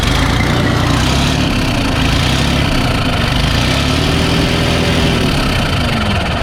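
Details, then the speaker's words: D12 diesel truck, recorded from the cab with revs raised: loud diesel rumble with a harsh metallic rattle riding over it, also audible at idle; diagnosed as a cracked EGR pipe, earlier suspected as an injector problem. "Yeah, so this is your EGR pipe rattle. Don't be afraid, you'll find."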